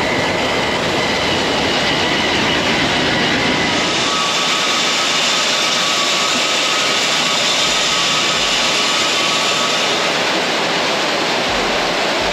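Loud, steady rushing roar with a faint constant tone on top, no surging or knocks; aeration fan running normally.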